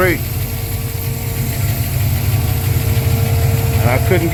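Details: Mustang engine idling after cold start, new Holley Sniper electric fuel pump replacing pump giving only 3–4 psi, Holley dead-head regulator with return line, steady pressure now: low, even idle rumble, no surging or stumbling. Normal idle.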